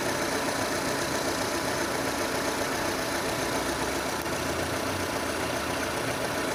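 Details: 2006 Renault Scenic II, K4M 1.6 engine, automatic, 202,000 km: knock appeared, coming from below and increasing as the engine warms; faint, somewhat irregular knock about four per second at warm idle; cause unknown; engine knock.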